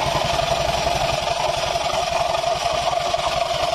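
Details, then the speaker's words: 2020 Honda Vario 150 with noisy CVT and aftermarket exhaust, at idle: a fast rough "srok srok" chuffing over a constant squeal and a "guk guk" knock, from a hardened, cracked drive belt and tired pulley bearing. "pertama ya suara yang Srok Srok Srok Srok itu dari pibel udah mengeras nih Sisi bagian luar dan Sisi bagian dalam ini sudah mengeras"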